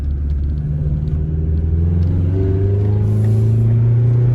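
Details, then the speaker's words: 2000 Honda Civic Si EM1 with homemade exhaust that steps from big pipe to smaller flange, suspension shot: deep smooth exhaust drone rising with revs under acceleration, shifting into third, no rattles or pops; normal exhaust note. "It's got a pretty nice throat to it. Ooh, tripped in third."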